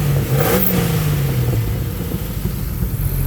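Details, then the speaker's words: Jeep Grand Cherokee 4.0 straight six, head just put back on, cold and warming: smooth deep note jumping up quickly on a throttle blip and dropping back, no lifter ticking or knocks; revs freely. "I mean it's a straight six they sound so"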